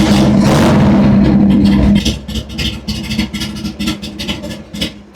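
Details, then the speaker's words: 2002 Harley-Davidson Sportster after installing LA Choppers risers and bar, with turn signals and mirrors deleted: a loud crank and brief rev, then an uneven, lumpy V-twin idle that settles steady; normal start and idle. "Alright, she's running, she's good to go."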